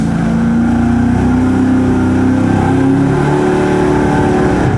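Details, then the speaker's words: V8 engine on dyno at steady revs under load: uneven lumpy note, a misfire traced by A/B testing to a fuel distribution problem. "issue we're having right now is that it sounds like it has a little bit of a misfire."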